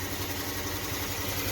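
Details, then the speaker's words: V6 idling lumpy and uneven with a steady stumble and visible engine shake on bank one (cylinders 1, 3, 5), after another shop swapped cylinders three and five while chasing it: dead cylinder misfire. "Whoa. This a dead hardcore misfire. Y'all see that engine moving?"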